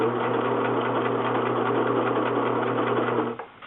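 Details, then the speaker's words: Singer 6412 Millennium Series sewing machine after repair: steady stitching with even motor hum and needle patter, no grinding or skipping from the right side as before the fix; then stopping. "You hear there's no grinding. So, I'm going to bring you a little closer so you can hear a little bit from this side better."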